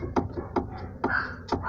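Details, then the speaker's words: 2005 Renault Clio, tapping noise from suspension; four dull clunks about half a second apart as brake caliper is rocked by hand, showing loose play from a worn bushing inside the caliper, to be replaced. "Isso aqui, galera, foi a bucha. Aqui dentro tem uma bucha e essa bucha zoou."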